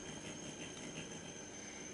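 Faint steady hiss with a thin high whistle, no rhythm at all; leftover noise on the receiver audio output, source not yet traced.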